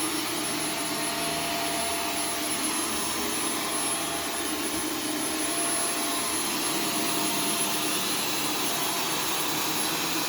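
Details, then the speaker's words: Arm & Hammer carpet powder vacuumed up in carpet mode: steady harsh roar with thin whistle that never eases; motor strain as powder coats the cyclone, choking airflow. "you could hear the machine choking when it was running and yeah that's not going to be healthy for your motor even if it doesn't actually get any debris through it"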